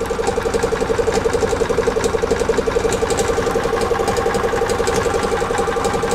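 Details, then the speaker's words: Gas EZGO TXT golf cart (1996 or 1999) with hard starting: even, steady putter around two beats per second with no misses or knocks. Normal running. "right, now the fuel pump's pumping. All right, so we're good now."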